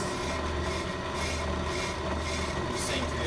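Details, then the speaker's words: Ammco brake lathe machining a hubless brake rotor, first scratch cut to zero the lathe: a steady machine drone with a faint, uneven dry rasp as the bit is fed in slowly and just touches the spinning rotor, then locked there. "first cut I'm going to do is called a scratch cut, and that is zeroing out the lathe. So I'm going to turn it on, check my distances between the bit and the rotor to make sure that it's not wobbling excessively."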